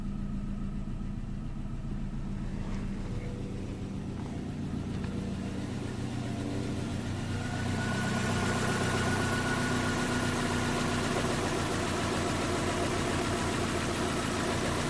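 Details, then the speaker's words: 2010 Vauxhall/Opel Astra H 1.6 petrol with P0011 timing code, started after timing work (slow start blamed on no oil on VVT phasers): steady but uneven, lumpy idle, revs lift slightly; slightly better but still rough from low compression. "i can say that is definitely running better than before i mean at least now that is running it seems to be running slightly better but i'm not sure i'm not happy with what"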